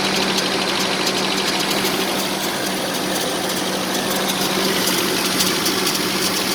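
Uneven, lumpy idle with a loose irregular pulse near two per second over steady engine hum; rough running, cause not apparent.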